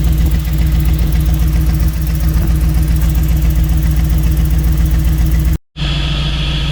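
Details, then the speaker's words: Jeep V8 with true dual exhaust after correcting tune from throttle body to multi-port injection; deep steady burble at idle, even firing beat, all 8 cylinders firing, no misses or knocks; normal idle. "So we switched it around and she's running good now. All 8 cylinders are kicking. Nice and smooth, sounds good."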